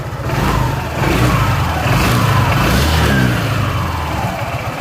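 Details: Honda PCX after replacing the CVT final gear (rasio) box bearings, found shattered and causing rough rear-wheel noise: scooter idles then revs smoothly and evenly, no grinding.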